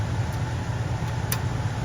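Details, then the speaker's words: Furnace humidifier solenoid valve in test mode: steady low hum with one crisp click and a few fainter ones as the valve opens and closes; water flows, normal operation. "By the way, once you rotate this, you can hear the valve. See, every time it clicks, it's opening or closing, right?"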